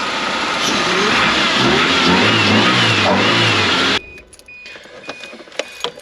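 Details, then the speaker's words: 1983 Toyota Sunrader motorhome, replacement supercharged 3RZ four-cylinder after pulley reinstalled, quiet engine with some oil leaks; climbs smoothly through several blips and drops back cleanly before shutting off, no wobble noise or chirp: normal revving. "woo dang that thing does sound good"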